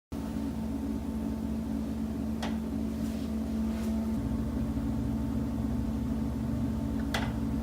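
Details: Condo unit: steady mechanical hum with a few sharp, irregular knocks every second or few seconds. Knocking is said to come from the building's common elements; exact cause unknown.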